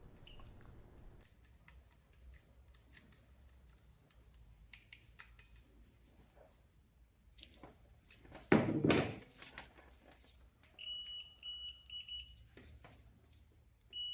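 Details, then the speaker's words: Citroen/Peugeot cooling-fan relay tested with a multimeter on continuity: quiet probe clicks, then a clear steady high beep over a second as probes touch the pins; continuity present. "as you can see when I touch the pins from the positive and the negative as you can hear it's making a sound"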